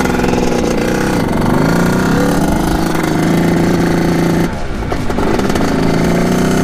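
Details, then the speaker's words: 1989 Kawasaki KX80 two-stroke, big-bored to 110, bogging under load through the gears. The buzz holds a flat, strained pitch and won't rev out. Owner suspects the carburetor, possibly the pilot; not confirmed. "so there's obviously something wrong with the carburetor and I think we're gonna take her back let's see if we can find the problem just doesn't want golf I'm gunning it right now"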